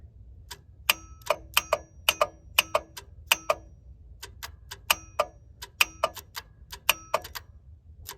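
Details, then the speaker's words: 1990 Ford F-250 7.3 IDI diesel, not started in 3 years, cold February morning, fuel shutoff solenoid being checked: key in run, engine off, sharp dry uneven clicks two or three a second, no cranking. "Interesting, when you turn this on, it clicks my..."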